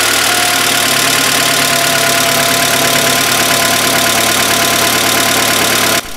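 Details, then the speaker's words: VW MKIV Jetta 2.0L first start after head replacement: new head with no oil yet in the hydraulic lifters gives fast, busy ticking about four per second over a rough idle until oil fills them. "You'll hear it's making a lot of noise when you first start it out. It sounds like death. What this is it's a new head. It has no oil in the lifters, and they're hydraulic lifters, so it takes a little while for"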